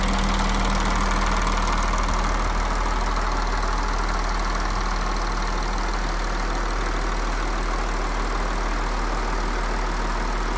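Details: Audi A6 C7 3.0 TDI V6 diesel idling smoothly and evenly, with a steady low hum and no rattle: normal idle after the service replaced the faulty timing chain tensioner and exhaust camshaft that had caused chain rattle when cold.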